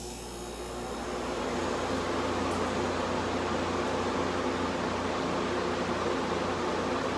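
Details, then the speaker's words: 1986 Quietmaster air conditioner on medium cool at first start after six months unused: an even steady hum of compressor and fan with a smooth airy rush and no knocks; running normally. "See, it's running in here, too. It's running good."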